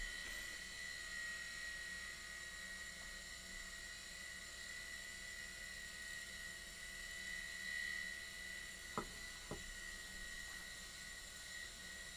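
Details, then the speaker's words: Hard drive of a Macintosh SE with an Applied Engineering TW1340 board running after booting to the Happy Mac; quiet steady whir, thin whine and a few soft ticks, likened to grinding corn, normal. "Why is it that these hard drives always sound like they're grinding corn?"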